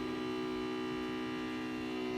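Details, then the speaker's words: Rinnai ProVia boiler showing error E170 right after a power cycle: steady strained hum with whistling overtones from the fan/venturi assembly; ignition-failure code suggests blocked condensate, venturi or exhaust, venturi to be checked. "Our error almost immediately comes back, and you can hear a lot of strange noise from the venturi assembly."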